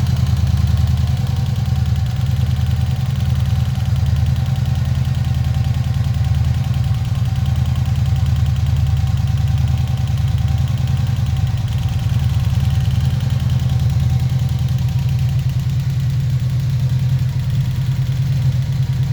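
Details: 1986 Honda VF700C V4 on centre stand, warmed to operating temperature, idle set ~1300 rpm, after valve reset and cleaned, reinstalled carbs: deep uneven pulsing idle with extra mechanical noise from rear cylinders; cause unknown.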